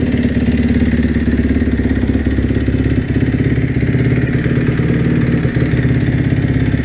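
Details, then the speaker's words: 2012 Kawasaki KX250F, slip-on FMF exhaust, about 50 hours on new top end, cold start on choke after sitting weeks: quick, slightly uneven single-cylinder thump with light valvetrain clatter, needs warm-up; healthy cold start and idle. "so that's this basically what it sounds like John I didn't really get on the piper nothing needs a warm-up but it runs good like I said I had no problems with it at the track"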